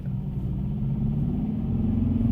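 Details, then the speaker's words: Kia K3 GT gasoline turbo driving in comfort or sport mode: low, steady droning diesel-like buzz at low rpm from the synthetic engine sound generator (ESG), worse in sport mode, not a mechanical fault; smoother at higher rpm, cannot be switched off. "뭔가 멀쩡한 차에서 날 것 같은 소리 강해 느낌이랄까요 하지만 이게 rpm 이 높아지면 즉 얘기가 달라지는 것 페이 높아지면 확실히 뭔가 스포츠성을 지는 느낌이 납니다"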